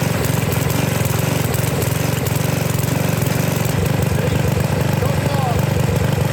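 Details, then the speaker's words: Sears Craftsman 2500 psi pressure washer, 6.5 hp Briggs OHV, running on a wrong carburetor off a slightly newer engine, untuned, needing some choke after hard running: single-cylinder chugs unevenly and hunts under load; correct carburetor and air cleaner to be fitted. "I think this is a HIPAA carburetor but it's not the correct one it's for the a newer slightly newer engine that I took it off of and uh it needs to be tuned"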